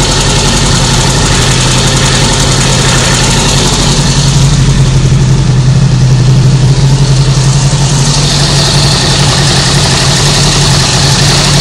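A loud, even idle with a faint, irregular rattle riding on top that rises slightly as revs climb. The source is not identified.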